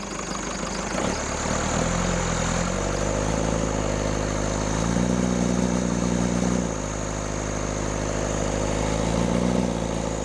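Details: Rebuilt Cummins diesel in a Case 1840 skid steer, fuel solenoid not hooked up, throttle held at raised rpm. It runs with an uneven, stumbling beat and wandering pitch: a misfire. In the balance test, loosening cylinders 1 and 2 changed little but lessened smoke; those injectors are to be pulled.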